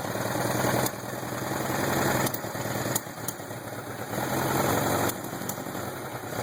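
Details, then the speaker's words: 1979 Suzuki GS750L after a carburetor rebuild: short throttle blips with sharp pops as the throttle opens and closes, popping on any acceleration. "I hear this popping sound when I give it any acceleration."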